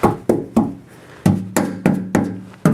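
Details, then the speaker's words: Cadillac ("Caddy") that had been sitting, tank located behind the car under the trunk, being struck from underneath: eight sharp raps, each with a short, low, hollow ring and no fuel deadening the knocks, so the gas tank sounds empty. "sounds pretty empty to me. So I just went and got $10 worth of fresh gas."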